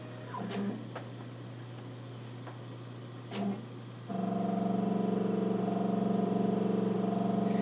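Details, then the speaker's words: Nikon LS-8000ED film scanner starting a preview in VueScan: faint clicks, then a steady, even motor hum and grinding as it autofocuses and the carriage moves; normal operation. "you can hear the kind of grinding sound it makes that's a scanner doing its autof focusing that's normal for the"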